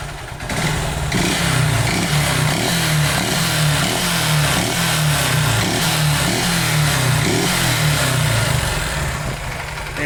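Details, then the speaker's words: 2008 Honda Titan CG 150 single idling: loud rhythmic knocking, about three to four raps a second, rising with revs and sometimes louder; teardown showed a worn piston from lack of lubrication. Piston slap. "Ela tá com um barulho no motor. Aí eu vou tá ligando ela aqui, funcionando ela aqui pra vocês verem o barulho que tá."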